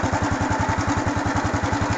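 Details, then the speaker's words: Honda Wave 110i (fuel-injected) after replacing the fuel pump with a new genuine one for a start-no-start fault; engine starts immediately and idles with a quick even thump about ten per second, no stumbles or hunting, healthy idle. "ผมบ่มีสะดุดครับดีครับเดินเบาครับครับครับนี่ครับผมก็แสดงว่าโอเคครับ"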